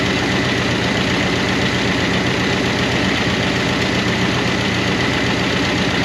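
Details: 1988 Monte Carlo SS V8 run after sitting over 20 years, idling on a temporary fuel tank: a fast, light ticking at half engine speed from noisy lifters/rocker arms. The owner hopes it will quiet down.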